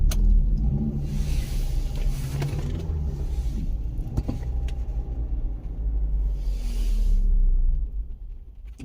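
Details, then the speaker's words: 2013 Kia Sorento 2.4L with codes P0017, P0106 and P0191 that stalls and runs very rough: uneven, lumpy idle that sags as it dies. The cam phaser actuator is suspected stuck, found covered in metal; jumped timing is also possible. "Yeah, cuz it's dying again."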